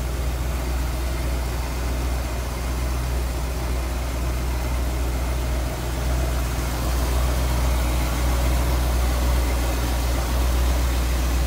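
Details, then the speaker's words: 1963 Ford Galaxie 500 convertible, 289 V8 with Cruise-O-Matic automatic, heard at the engine bay: deep, steady V8 burble at idle with an even beat and no misses, ticks or knocks; smooth running, tidy engine; normal idle. "smooth running nice tidy engine BAS as you can see good power plant too with that 289"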